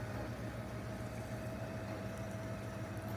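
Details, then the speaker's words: Camper power awning retracting: steady mid-pitched motor hum over a low rumble, even without strain or grinding, held until the vinyl pulls tight against the camper. "when you're retracting it you want to hold it till you feel pull up against the camper you'll kind of hear the vinyl pull tight"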